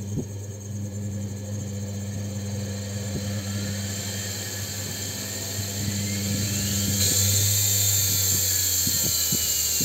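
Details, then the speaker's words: AC motor on a dimmer speed-control circuit, 220 V applied, knob turned up slowly: low hum with thin whine climbing steadily in pitch as motor speeds up smoothly; normal speed control. "şu an 220 vereceğim işimize taktık ve gördüğünüz gibi yavaştan çevirmeye başlıyorum bu ses geliyor Arkadaşlar"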